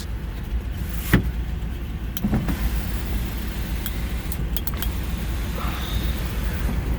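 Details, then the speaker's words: 2007 Ford Explorer during used-vehicle inspection, engine idling: window motors hum smoothly and evenly up and down with no grinding or strain; power windows working normally. "other than that though windows seem to work so all that stuff seems to work okay"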